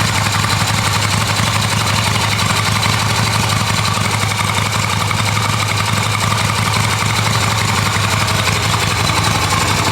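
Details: Restored Yamaha XV250 Virago V-twin, ready for roadworthy inspection: clean electric start in neutral into a steady, even idle with a loose, lumpy beat and no knocks or rattles. Normal healthy idle.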